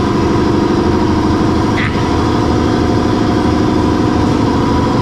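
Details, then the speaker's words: Brewery compressor for tank cleaning and the kegs, running loud; steady pumping hum with an even pulse near two per second and no knocks or squeals, running normally. "so this is it it's very loud and noisy that know what you're hearing is from the compressor to clean the tanks to the uh the kegerators the other categories the kegs"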